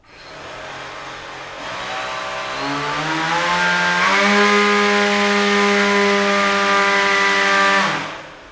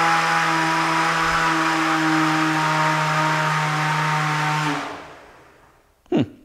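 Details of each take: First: Beetleweight combat robot weapon belt drive after pulley redesign, belt at second-highest tension, zero to full power: clean tone climbing smoothly over about three seconds, holding steady without rattle or slapping; normal spin-up. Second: Beetleweight combat robot weapon spin-up test: steady motor whine barely climbs in pitch, fails to accelerate past about half power, then coasts down; weapon labors as belt slips on plastic pulley.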